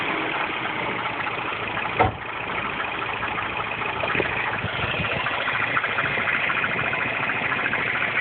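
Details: R56 Mini Cooper S cold morning start after timing chain tensioner change: busy, loose, uneven rattly clatter over the idle; abnormal cold-start engine noise, source unclear.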